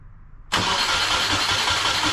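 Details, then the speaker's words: EJ20 engine in caged 1995 Subaru Impreza L track car, wiring harness just fitted, fuel leak present: starter spins engine evenly and steadily but it never fires; crank, no start. "So at least we can say it turns over, which is a good sign. Doesn't sound crazy."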